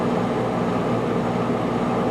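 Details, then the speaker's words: 1995 Starcraft Stardust pop-up camper rooftop AC after its makeshift breaker tripped, on a 220 plug run through 110 from the house, fan not cranked to high: steady, even blower and compressor hum, no rattles, knocks or cycling; blowing cool, unit still good. "see what happens yeah it's blown cool i don't want to crank it up on high and push my luck"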